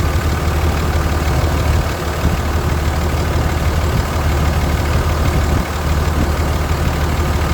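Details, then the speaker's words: Dodge 5.9 Cummins diesel at idle after injector and push tube work: deep, uneven idle with faint loose clatter on top; owner suspects one valve chattering, not injector, overhead not adjusted; running smoother than in years. "I think I got one in chattering, but I know it's not going to be injector, so I can live with a little valve chatter."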